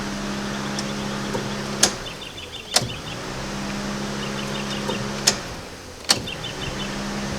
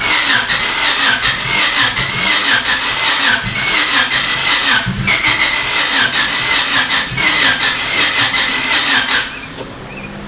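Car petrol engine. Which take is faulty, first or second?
second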